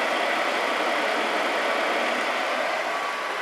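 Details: Atwood 7912-II 12,000 BTU 12 V RV propane heater after solder repair of circuit board; gas off, blower purging after shutdown, owner thinks IC timer cycles it off: smooth airy rush, no knocks or wobble, healthy.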